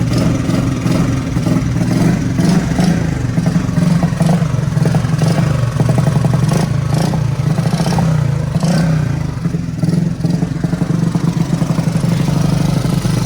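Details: Honda Super Cub (Platinum model) converted to CDI ignition at home: small single-cylinder engine holds a steady, even idle with a few smooth throttle blips; no misfire or clatter, sounds healthy.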